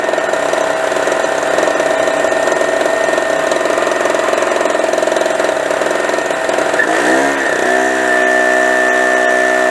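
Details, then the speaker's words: New Harbor Freight Storm Cat 2-cycle generator (700/900 W), after about 3 minutes running, 300 W light switched on: buzzy drone sags and wavers briefly as load comes on, RPM changes, then settles evenly; holding the load. "Now it's under a load. You can hear how the motor RPM changed."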